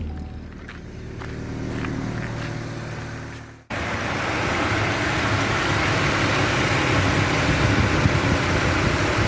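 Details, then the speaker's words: Chevrolet Spin/Cobalt, heard from outside with the hood open: the radiator fan jumps to full speed within about 3 seconds of key-on. Owner attributes it to A/C pressure from the A/C drier, not the water pump, head gasket or thermostat. "Então, ela dispara. Assim que você bate a chave, ela já dispara. Menos de 3 segundos, mais ou menos, ela já dispara."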